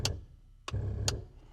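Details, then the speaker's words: Sharp dry ticks about every half second with a low hum between from the electric fuel pump on a 1959 Piper Comanche 250 sitting over a decade, tested with little or no fuel after oil pressure came to 50 lb; pumping normally. "oh yeah the fuel pumping is pumping the fuel pump is pumping the pumper is fueling it's good to go"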